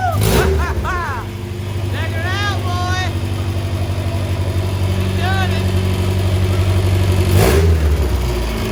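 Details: Honda Civic EJ1 coupe with high-compression B20 swap, first start: engine catches cleanly, rises and falls smoothly with even note, no knocks or misses; running healthy.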